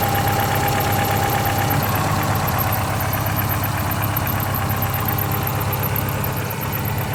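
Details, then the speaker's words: 2000 Subaru Forester S Limited on cold start, idling smooth with a faint thin squeak from the auxiliary belts, expected to go away once warmer; later settles at around 800 rpm. "As you can hear, there's a little bit of a squeak coming from the auxiliary belts, but that should go away when the car's a little bit warmer."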